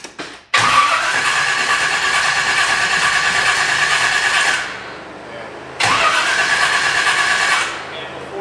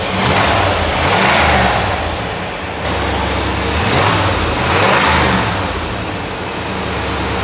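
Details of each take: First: 1985 Pontiac Firebird Trans Am carbureted engine, running very rich, before tune-up with new plugs and fuel filter; two long cranking spells, about four then two seconds, starter whirring steadily but engine never fires; hard start. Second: 1985 Pontiac Firebird Trans Am, crate Jegs 350 carbureted V8, after switching distributor advance to ported vacuum and tuning: deep burble swells cleanly through quick throttle blips and settles smoothly; no more black smoke, healthy.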